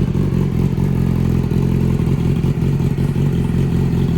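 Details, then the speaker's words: Newly bought motorcycle with aftermarket exhaust and flash tune: deep lumpy idle pulsing unevenly, never settling, bouncing off; rough idle, owner suspects the flash tune, plans plugs and air filter service. "the idle is super rough here if I start the bike up for you guys it's not going to sit at the rev limiter properly you can hear it just pretty much bouncing off"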